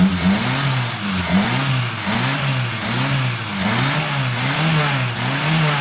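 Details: 1989 Suzuki Forsa after new, cleaned spark plugs and a carburetor cleaned of oil on its lip; the earlier misfire is gone. Repeated blips about once a second, pulling cleanly with no stumble; it runs healthy.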